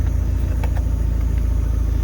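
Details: Engine on a Speeduino EFI after its badly off ignition timing was corrected, not yet fully warm: smooth, even idle with a steady low rumble, no misses, knocks or hunting. Fuel pressure is good and oil pressure matches the mechanical gauge.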